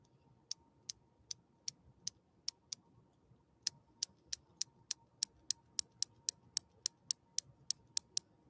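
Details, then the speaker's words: 1966 Husqvarna Viking 19E Special sewing machine just after a dab of lubrication: a crisp, even chattering tick that quickens with speed, with no grind or drag; running freely. "see it's happy now listen to it it's chattering right now like i do during premieres"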